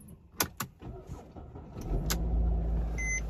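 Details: 2010 Mercedes-Benz E-Class (W207) first start on a newly programmed key after an all-keys-lost job, with the ELV connector and fuse plugged back in: key clicks, brief crank, instant catch into a smooth steady idle with a dash chime; normal start.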